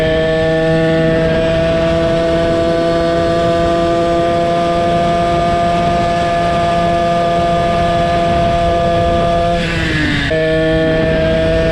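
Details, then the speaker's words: Motorized bicycle two-stroke engine with $20 chainsaw pumper carb, pulse port set up and tuned: steady even buzz at one pitch, brief dip then recovery, running cleanly; engine approaching 300°F, needs cooling. Normal running. "Now that sounds better. Yes, approaching 300 Fahrenheit. I need to let it cool down."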